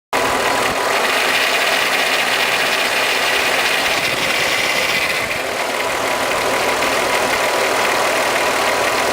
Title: Golf VR6 Mk3 Timing Chain Noise